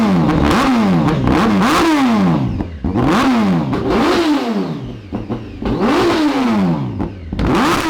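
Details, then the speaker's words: 2003 Honda 919 motorcycle engine, about 110 hp, before swapping into a cross kart: repeated sharp revs with raspy, slightly uneven exhaust and clatter, persistent black smoke; running rich, bad coolant temperature sensor suspected, not confirmed. "bad coolant temperature sensor is there a problem somewhere it seems a bit on the rich side"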